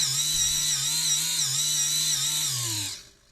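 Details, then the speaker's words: Modified servo worm-gear drive for an InMoov robot shoulder, run before any grease was added: a high whine with wavering pitch that sags under load, then winds down and stops. Strain from the dry, ungreased worm gear. "there's no grease in that that sound like it's struggling a little bit"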